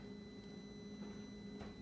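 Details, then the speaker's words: 2021 Indian Challenger with a no-crank fault (starter button dead, since cured by a power cycle), key turned back on: faint steady electric hum with a thin whine as the fuel pump primes normally. "hear the fuel pump run"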